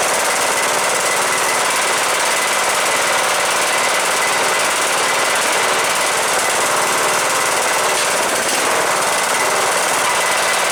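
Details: Cub Cadet LTX 1045 with Kohler Courage engine, after repairing loose counterbalance (cause of knock after running without oil) and fresh oil change: rapid, even chatter at constant speed, no heavy knock; normal running.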